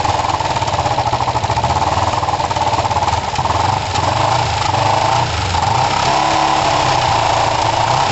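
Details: Kawasaki ER5 twin, after carb float height work, with good spark on both cylinders and new coils: lumpy, uneven low-speed running with irregular pops and spits. The owner suspects the carbs; it seems a bit better but not perfect, with a compression test planned.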